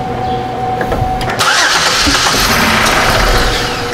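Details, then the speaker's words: 2005 Chevy Equinox 3.4L with a no-start, the main relay not powering the injectors, and the injector power feed jumpered: a brief crank, then the engine fires promptly and holds a steady, smooth idle with no misses or knocks. "can you see if this thing runs with my full jumpered in here it should if it starts just shut it right back off"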